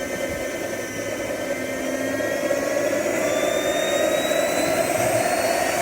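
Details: JetCentral turboprop turbine on its first test start, with a temporary wrong-size propeller: a steady high whine climbing gently as it spools, with an even roar and no surging; it starts and runs well.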